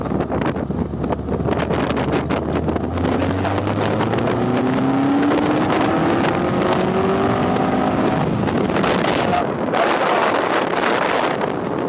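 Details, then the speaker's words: Westfield, road test in second gear at full throttle to check for misfire after finding the fault, revs to 6500 rpm: note climbs cleanly and steadily, no stutter or popping, very smooth; problem solved, normal full-load acceleration. "je vais pousser la dose en pleine charge pour voir si ça provient le rupteur alors hop c'est parti on reste en deux"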